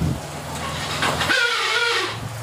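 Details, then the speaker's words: Yamaha Xeon scooter, won't start on kick: harsh rasping whir with wavering tone while starter spins without catching; suspected dry starter dynamo, dismantled and refitted, after which starter ran normally. "Ya, ini suara berisik diperkirakan dari dinamo starter ya. Ini coba dibongkar dulu, dicek ya. Seperti dinamo starter kering."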